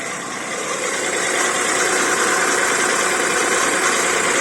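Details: VW Polo 9N 1.2L AZQ engine, running: steady high-pitched rasping whir from accessory belt idler pulley, pulley shows no wobble; dry worn bearing, noise went away after spraying WD-40 with engine off.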